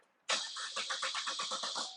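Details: 2014 Chevrolet Cruze LT 1.4L turbo with intermittent stall and no codes; steady cranking at about seven pulses a second with no firing and no spark through the ignition coil connector.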